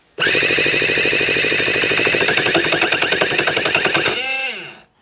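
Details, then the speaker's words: Newly assembled tiny 7cc ST-NF2 four-stroke twin-cylinder nitro engine, cranked with plugs refitted: harsh, high-pitched rapid rattle at about four beats a second that winds down and stops; too much fuel suspected, possible seizure, cause unclear. "oh that's not sounding very happy at all is it no is it too much fuel"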